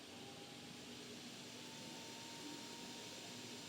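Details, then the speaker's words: Monster Abra A5 V16.6 gaming laptop fan after cleaning maintenance for growling noise and overheating: soft even airy whoosh with faint steady hum, no growl or scraping; fan now kicks in later and runs cleanly. "Bakım öncesinde buradaki fan hemen devreye giriyordu. Bakım sonrasında şu an halen daha devreye girmedi. Evet, şimdi devreye girdi"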